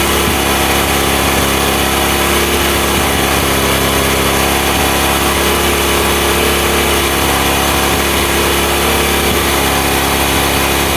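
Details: Honda Mega Pro mono single-cylinder, after fixing an air leak and setting the carburetor air screw that caused hard starting and idle dying: steady, even idle with a constant buzzy beat, no hunting or stumbling.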